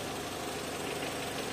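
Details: Renault Clio 1.0 16v with intermittent no-start, during oscilloscope check of crank sensor signal, battery had been discharged: steady, even idle, constant hum, no misses or stumbles; normal idle.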